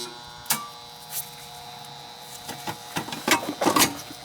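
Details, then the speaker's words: Goodman AC outdoor unit not starting, call for cooling: steady electrical hum with no motor spinning up, handling clicks; unit energized but stalled, bad capacitor suspected, not confirmed. "sounds like a bad cap to me"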